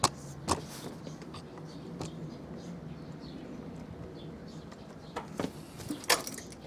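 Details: Old Honda Dio 50cc scooter idling after new battery installed and covers refitted: low, even hum with a few handling clicks nearby; idle steady and healthy.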